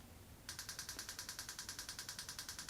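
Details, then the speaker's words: BMW K1200S running on 3 cylinders, injector actuated from the Moto Scan app via OBDLink LX: crisp, regular ticking about nine clicks a second; injector fires normally (cylinder 3 was not firing). "I don't know if you can hear it, but you can hear the tapping of the fuel injector as it's actuating, and off again."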